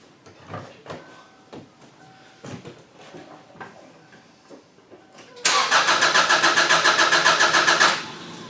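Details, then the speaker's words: 2002 Subaru Outback that died while driving, restart attempt: after some clicks, starter cranks steadily about two and a half seconds near four beats a second, briefly seems to want to start but never fires. "okay it's dead so it did sound like it wanted to start for a split second which is a good thing so it's either ignition or fuel which caused the car to go ahead and conk out on me"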